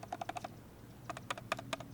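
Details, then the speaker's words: Scooter wheel with Juju bearings and green 54 wheel, axle nut left slightly loose: light rapid clicks as the wheel rocks on slight side play, which is normal and wanted; too tight gives no noise. "you want to hear that noise cuz if you put it too tight no noise you don't like that"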